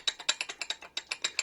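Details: Yamaha Dragstar 650, customer complained of loud valve tapping: sharp metallic knocks about nine a second, evenly spaced over a faint engine; not valves but rod bearing knock, crankshaft to be nitrided and polished.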